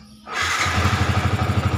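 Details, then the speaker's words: Yamaha Vixion that would not start or stalled suddenly, caused by a weak battery: the starter catches at once and settles into a steady regular idle; no engine fault found, clean healthy start, fix is a new battery. "oke nyala dengan S tidak ada kerusakan di sini di mesin yang lain tidak ada kerusakan ya"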